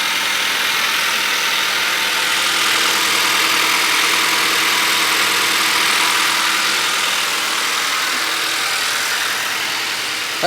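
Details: 2013 Honda Accord coupe 4-cylinder automatic idling after valve adjustment for cylinder 4 misfire (too-tight valve caused low compression): steady, even idle with hissy top end, no stumble or skipped beats; engine sounds healthy.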